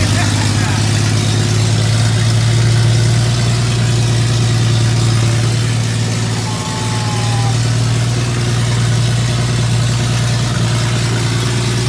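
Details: Toyota 2F engine just fired after a year-long full rebuild, cooling system not yet plumbed, lifters still to be broken in: steady, even low rumble at smooth idle with no knocks or misses; running healthy.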